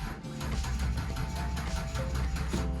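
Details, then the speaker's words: 1996-97 Ford Aerostar van with 39,000 original miles, battery poorly charged and probably a size too small: starter churns slowly and unevenly in heavy low pulses without catching; slow crank from weak battery. "well except for the batteries not very charged very well come on okay it usually runs very well"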